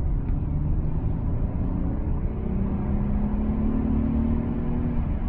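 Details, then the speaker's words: 2006 luxury sports coupe accelerating, coolant temperature steady: low, even rumble with mild engine note rising smoothly, a little engine noise but overall very quiet; normal engine under acceleration. "there's a little bit of engine noise you can hear it a bit but it's overall it's really quiet"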